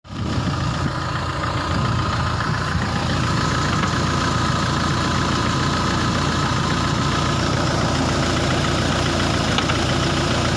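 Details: Renault Laguna 2 at idle: steady idle with an irregular low knocking underneath, a rattly thump from the knocking dual-mass flywheel.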